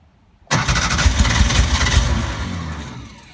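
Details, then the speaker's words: 1950s Porsche 356 Speedster: catches with a sudden rumble and few uneven beats, then dies within three seconds while accelerator is pumped; fires briefly but won't run, suspected no fuel getting through. "Oh, looks like there's no gas. Because it fires, but it doesn't go Do you through."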